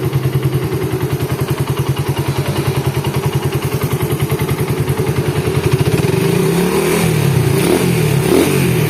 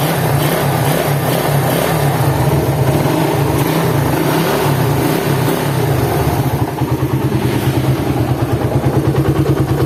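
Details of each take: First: Suzuki Satria FU engine after rebuild with new crankshaft bearing, first start: even steady idle firing pulses then smooth rev rise, no rattle, clatter or rough noise from head or lower engine; normal idle. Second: Suzuki Satria FU on a cold start, said to get worse when hot, with a coarse, uneven rumble and rough knocking undertone at idle; teardown confirmed crankshaft main bearings with side and vertical play, and the ratio bearing was also bad.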